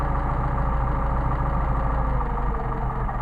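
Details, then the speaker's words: Mercedes 190SL with rebuilt, remachined Solex carbs: low loping idle sags and nearly dies as the sensitive idle mixture screw is deliberately turned too far; backed off past maximum running to find the midpoint between stumbles. "yep I see it start to drop off almost going to die now we back it after we get our maximum running until it starts to drop off again"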